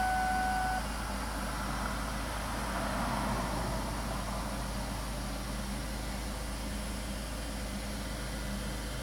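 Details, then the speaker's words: 2000-2007 Ford Taurus/Mercury Sable idling after fuel filter replacement (old filter used for 85,000 miles): a steady, even, low smooth drone with no misses or knocks, the engine running cleanly with no leaks. "So it seems like it's running pretty good. I'm gonna let it run for a minute and go back over here and I'm gonna check for leaks."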